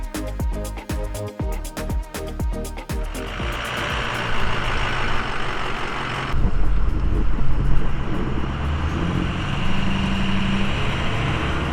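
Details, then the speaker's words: Ford 6.0 Powerstroke diesel with newly installed compound turbo kit, driving: hard pull with a whistle that rises then levels over the engine roar; turbos spool smoothly like stock, unstressed. "So you can hear the turbo [Music] I mean, it definitely has like the same like it spools up like stock. It's like barely chilling."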